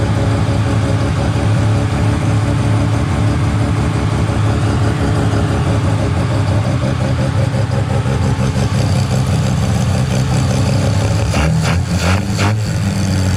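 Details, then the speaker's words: Mazda 13B rotary on EMPI IDA carburetor, after replacing the fuel regulator that wasn't holding pressure: regulator set from about 2 to 3.5 PSI while running and holding steady; smooth low burble at idle, no stumbling or surging. Normal idle. "okay so uh that fuel rig's all good now um it's holding really steady pressure around 3 and 1/2 PSI"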